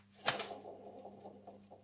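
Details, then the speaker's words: Daily driver accessory drive inspected with the belt off: alternator pulley spun by hand gives a light rapid ticking and rasp, about six per second, fading as it slows; noisy alternator bearing, water pump okay. "the alternator the water pump is okay at alternators noisy"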